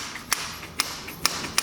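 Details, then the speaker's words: 1991 Honda CR250 two-stroke, engine off, after reinstalling the carb: five crisp sharp clicks as the throttle slide snaps shut cleanly. Owner suspects the slide had been stuck up; it now closes normally. "all right reinstalled the carb now you can hear the slide hitting in"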